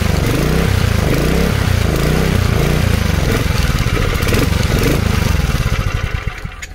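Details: 1970s Honda G35 3.5 hp general purpose single-cylinder engine: loud, slightly uneven low chugging, runs steadily for several seconds, then dies away.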